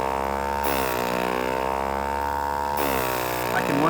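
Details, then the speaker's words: Mimaki 6042 MKIIe in working order, extra air line crimped with hemostats, checking the waste bottle holds vacuum: a steady motor drone sweeps down in pitch as suction takes hold, then recovers. The pump is pulling vacuum properly. "can once again hear the motor change pitch and feel the suction."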